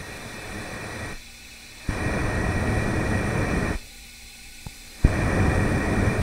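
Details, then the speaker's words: Yamaha YZ 250F engine leak-down test after valve adjustment, hose held to the mic at the intake: steady rushing hiss coming and going, leak traced to the middle of three intake valves. "left valve the right valve is nothing but here on the middle valve we can definitely hear that hissing noise so i'm very happy we can actually pick it up on the mic"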